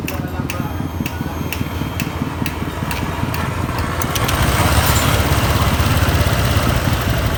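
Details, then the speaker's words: Automatic scooter idling: steady pulse with light ticking mixed into CVT clatter, where engine and worn, loose CVT sounds combine; the mechanic suggests the piston may make slight noise, not serious, and each part must be checked one by one. "Jadi kalau misalkan kita prediksi dari suara piston bisa jadi dia menimbulkan bunyi sedikit, cuman nggak terlalu parah ya dari suara mesin ya."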